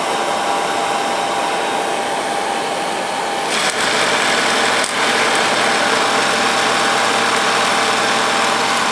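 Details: 1946 Victor 40B film projector with its mechanism running at sound speed and the amplifier not powered. Steady, even chatter from many gears with no knocks, rickety but normal for the gear train.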